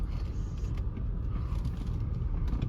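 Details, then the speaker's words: Audi A6 with 143,180 miles and a long-standing check engine light, driven after sitting over a year: low road rumble with an uneven scratchy creak as the wheels turn. Surface rust on the brake rotors scrapes. "Ooh, rust on the brake rotors. Scratch. I don't know if y'all can hear that or not."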